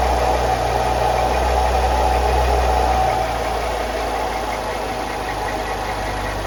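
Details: 2013 BMW X5 xDrive35i on first startup after a serpentine belt replacement, done because the old belt squeaked a little: the engine catches and settles into an even idle with a steady low rumble and no belt squeal or chirp.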